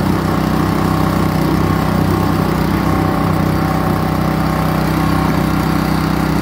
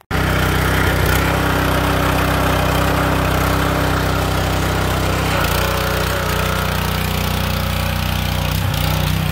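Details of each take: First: Kohler SH265 6.5 HP engine newly fitted to an old pressure washer, WD-40 burning off the exhaust, exhaust suspected needing rework: loud, uneven single-cylinder running, beat stumbling rather than steady; rough running, cause not confirmed. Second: Kohler SH265 6.5 HP single-cylinder engine newly re-powering an old pressure washer (replacing weak Honda), test run under pump load; steady fast beat dipping slightly as pump draws then recovering; normal running under load, powerful output.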